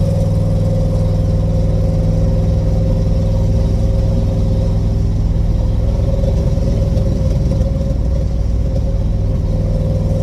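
A deep, throaty drone with a rough puffing chatter at idle grows louder on the revs, typical of a leaking exhaust.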